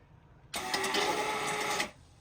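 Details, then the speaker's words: Newly replaced boat bilge pump, switched from the controls, tested with the stern-gland drip tray filled near the top: a steady, even electric buzz for about 1.5 seconds that starts and stops cleanly. It works normally but sits a bit high. "It's definitely working, but the pump is sitting a bit too high. But that's fine, that's why I've got the drip tray."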